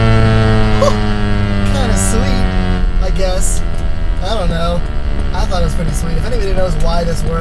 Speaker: now listen to this the radio like sounds like a little remote control car but it reacts to like how fast I'm